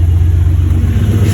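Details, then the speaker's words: 1991 Mustang Foxbody turbo, T56, newly installed PiMPxs tune self-learning: deep, steady low rumble idling in the 900s rpm with no surging or hunting; near-perfect idle, still running a little rich. "a near perfect Idol and all Idol in the 900s where I wanna be car still running a little rich it could be leaned out a little bit but I mean it's hey it's not bad you know"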